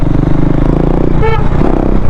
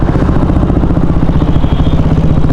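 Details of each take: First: KTM Duke 390 BS4 after returning from a trip with an engine noise problem, after repair: even, steady idle with no top-end ticking or chain rattle, brief horn toot; noise now back to normal, cam chain sounds normal. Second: KTM Duke 390 BS4 single-cylinder after a road trip, at idle: fast, regular light ticking louder than normal for a KTM engine; owner suspects the cam chain tensioner.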